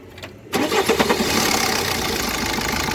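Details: 1.3 Multijet (1.3 CDTI) diesel idling with the accessory belt removed: fires quickly and holds a steady idle with no whine or rattle, pointing the noise to a belt-driven part.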